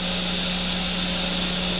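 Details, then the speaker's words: Roland JC-120 guitar amp, roughly 30 years old, low channel with no playing: steady hum with constant hiss and buzz, present regardless of guitar; suspected power issue within amp itself, cause not found. "Yep, same thing. Get that hissing sound. Hissing and buzzing."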